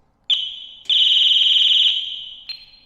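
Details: Non-running Ducati 748 in the workshop: piercing high-pitched chirp, then a sustained wailing tone that fades, then another chirp; alarm set off on reconnecting the battery, later turning off as the fuel pump primes.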